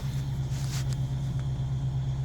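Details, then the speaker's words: LT1 V8 idling while warming up just after a PCM tune, no check engine light: smooth, even low idle with no misses, knocks or ticks while the computer relearns; running healthy. "I'm letting it warm up. I know it has the computer has to, all the systems have to manage everything."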